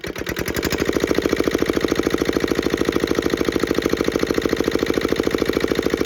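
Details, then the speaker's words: Petter AA1 single-cylinder diesel water pump, cold after sitting a week, started with decompressor and fuel at one: picks up and settles into even, crisp chuffing with steady injector pump chink each beat; normal running. "and there you have it like I say I didn't didn't reckon it would take a lot to get going these"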